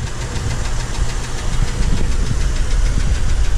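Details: 2007 Chevrolet TrailBlazer idling: steady knock about five beats per second over the low rumble; owner ruled out idler pulley and belt tensioner, suspects something internal, left to a mechanic.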